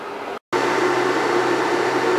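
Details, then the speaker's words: Portable AC running off a 100Ah self-heating LiFePO4 battery through an inverter; battery around 22% left; inverter cooling fan kicked on automatically under load: a steady airy whoosh with even hum, no rattle or surging. "all right so it's a little noisy in here right now I got the portable AC running and the fan on this inverter is kicked on and that's because you know it's over 20% or whatever it is using it so it automatically kicks on like this"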